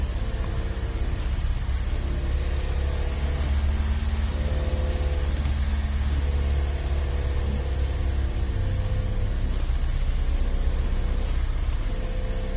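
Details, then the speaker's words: 2019 VW Up TSI, 50,000 km, clutch kit with actuator replaced two months ago: engine held at 3000 rpm with clutch pedal pressed gives a steady low drone and wavering resonance, gone when pedal released; suspected actuator/fork resonance, unconfirmed. "mas se eu acelerar 3000 giro com o pedal da embreagem pressionado ó eu sinto bastante esse barulho ó"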